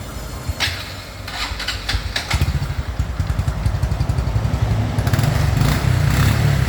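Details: 2014 Honda Wave110i, hard to start, dies off throttle, surges and won't rev when ridden. Uneven, stumbling pulses surge and sag instead of picking up as throttle opens; bogging traced to a faulty fuel injector.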